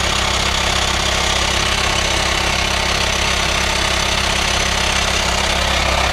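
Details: VW Transporter T5 2.5 six-speed campervan, under bonnet at idle: steady even pulses with constant airy hiss on top, suspected vacuum leak in engine bay before service; source not yet confirmed.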